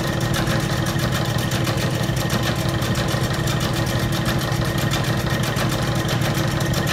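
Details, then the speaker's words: Old Bennett 541 gas pump motor, stored in a barn for many years, running after being switched on: constant hum with a quick regular churn of about three pulses a second and no scraping or labouring. Normal running. "I can't tell you how satisfying it is to take an old pump like this that was in a barn stored away for many many years and actually getting it to run"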